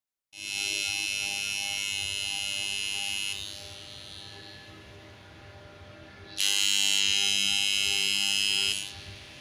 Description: In this video magnetic contactor dismantling and cleaning for CRC spray after humming noise problem solved.